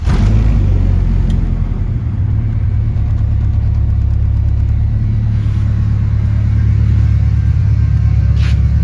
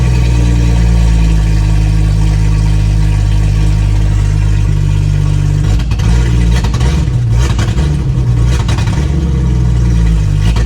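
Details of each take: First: Wish the camera could get the audio better, because this thing's got a nice good little rumble for a 4-cylinder, but on the camera it just sounds like a little raspy rice bucket. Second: 1996 Jeep Grand Cherokee ZJ six-cylinder after new plugs, wires and new injectors (old ones partly clogged): low idle drone stumbling and breaking up irregularly, worse when revved; still misfiring, cause not found.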